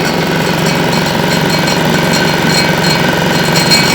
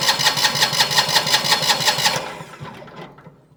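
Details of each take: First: Winget mixer single-cylinder diesel, stood a couple of years, after repair, second start: steady even chug with slight clatter, no misses or knocks, surprisingly quiet. Normal running. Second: Single-cylinder diesel on a Winget mixer, stood a couple of years, injector line cracked off: steady even cranking under three beats a second with no firing; no diesel reaching the injector, injection pump suspected sticking/seized.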